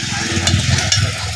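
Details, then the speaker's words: CRT TV picture tube EHT sparking: steady frying crackle with sharp snaps about twice a second, continuing even after the circuit was changed; earthing wire burnt by sparking, tube itself judged fine. "ঠাস ঠাস শব্দ হচ্ছে, তার মানে আমাদের tube কোনো ঝামেলা নেই, তারপরও টিউবটি এরকম শব্দ হচ্ছে।"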